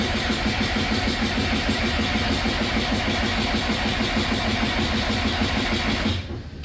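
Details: Diesel skid loader in 22°F freezing weather, with water in the fuel line suspected: the starter churns at about three beats a second for six seconds and the engine never fires. It cranks but will not start.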